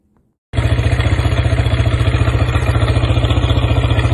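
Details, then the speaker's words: Corven Touring single-cylinder motorcycle engine, removed from the bike, starts with a rough, clattering beat over a deep thump; ball-bearing cage fragments were found on the magnetic drain plug, pointing to a failed camshaft bearing. "escucharon hace un ruido medio feito El motor es un ruido que yo ya lo he escuchado otras veces"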